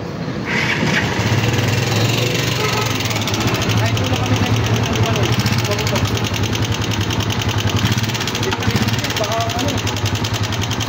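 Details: Motorcycle single-cylinder engine, reportedly rarely ridden, owner feels it had no oil. Idles loud and rough with a clattery tapping from the top end, traced to a broken pushrod.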